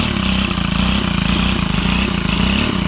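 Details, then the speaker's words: Stihl HT 131 pole saw, first test run after a bottom-up engine rebuild (rings, bearing seals), new fuel lines and a just-adjusted carburetor. Busy, uneven rattle won't settle at low speed. Rough running; the low-speed mixture still needs adjusting. "Yeah, see, I got to adjust that low end."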